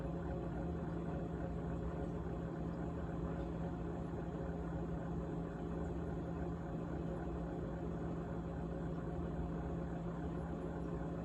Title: GE Model GTH18XCTZRBB Refrigerator Rattling Sound on 3-27-2021